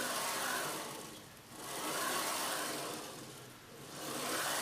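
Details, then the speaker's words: Old CNC router carriage slides smoothly by hand along recirculating linear bearings with the lead screw disconnected, with no ticks or grit. The suspected broken ball bearing is ruled out; slight play in the stepper motor end bearing is now suspected. "that sounds absolutely perfect the lead screw absolutely fine"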